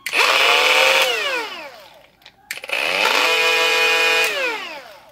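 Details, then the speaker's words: Faulty Milwaukee M18 Fuel brushless die grinder, reassembled during teardown: spins up to a high whine that drops away, with a coarse grinding edge; no gears inside, suspected speed control or Hall feedback fault, front face possibly rubbing. "almost sounds like gear is grinding but it's no gears in it that's just the speed control messing up"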